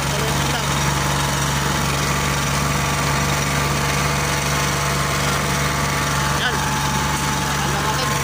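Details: Oasis150 C/U small diesel that would not start after running out of diesel, now refuelled with the injector fuel line bled: an even, steady low thrum with a constant knocky diesel beat and no misses; normal running.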